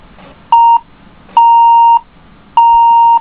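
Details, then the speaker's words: HP DV5 laptop with black screen and flashing lock lights, RAM in the bottom slot: one short then two long beeps at power-up, the no-memory warning code; bottom slot judged faulty, top slot good, video fault remains. "so it beeps in the second slot it doesn't beep in the first slot if I take the ram completely out and power it up it should beep like it's supposed"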